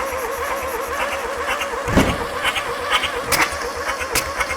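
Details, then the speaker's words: 1960s VW Beetle 1500 air-cooled flat-four petrol, on the floor with gearbox, unstarted since 1973, 8000 miles, choke on: slow uneven cranking with sharp exhaust bangs and flames; plug leads misplaced, ignition timing and firing order need correcting. "right that's a fair sign that the big load of flames that just shot out of the exhaust that the leads are not all in the right place so we're gonna go and work the timing out"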